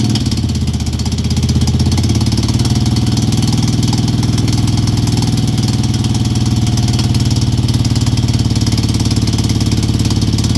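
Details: 2002 Moto Guzzi California EV: steady loping V-twin idle with a light, regular tick riding over it; engine ticking noise, source unclear.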